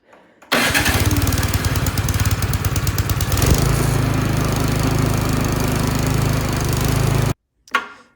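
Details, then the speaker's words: Troy-Bilt snowblower small single-cylinder engine after carburetor cleaning for a no-start from old gas, started on full choke: catches right away and settles into a steady, even chug with no misses or surging; runs normally. "all right it's running great so gas was old but just not old enough to do any major uh Carnage on that carburetor"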